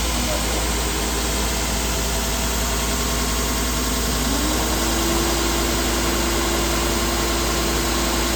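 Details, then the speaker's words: Aluminum beam finishing machine, first head only, second pass with 1/10 more pressure, grinding belt at 80% speed: steady rushing noise whose hum climbs and holds higher as the belt reaches speed; normal. "Now we're going to run 80% grinding belt speed. And you can hear in the sound that you have more RPM"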